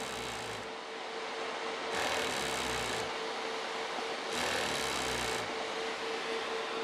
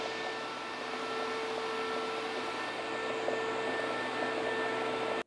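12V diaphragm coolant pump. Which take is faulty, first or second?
first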